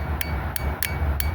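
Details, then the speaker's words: 2001 Mazda 626 2.5L: new Napa fuel injector fitted in rail and tested, five crisp sharp clicks a few tenths of a second apart; injector opening properly, normal. "That's how it should sound."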